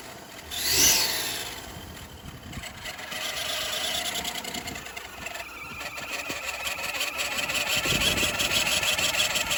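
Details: Chevy Avalanche 5.3L V8 at idle: steady idle with an uneven light ticking a few times a second on top. Source unidentified.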